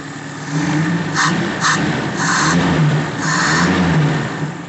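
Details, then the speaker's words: Suzuki Feroza carbureted engine, idle set slightly high: uneven lumpy idle that swells and dips, running rough from misconnected carburetor vacuum hoses, including the manifold hose to the piston power jet. "tapi selang-selangnya pemasangannya keliru pemasangan gelang gelangnya keliru"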